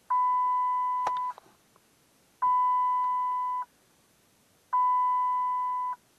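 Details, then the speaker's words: 2008 Dodge Avenger after oil pan gasket replacement, key on: three long, even mid-pitched beeps about two seconds apart; airbag warning light on, owner says clock spring failed and needs replacing. "got it on there yeah i got airbag white i gotta fix it's the clock sensor that went out"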